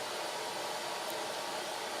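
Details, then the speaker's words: Maytag Epic Z front-load washer after drain pump replacement (previously wouldn't drain or spin): steady even hiss of fresh water filling, no knocks, grinding or pump strain; working fine after repair. "all right there's 44 minutes to go piping up running more fresh water in"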